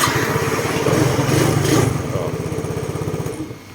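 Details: Yamaha Filano scooter whose electric start had failed with no dash light, after the faulty wiring was cut and joined: it fires straight away with a quick, even putter that smooths and quietens into idle; normal start and idle.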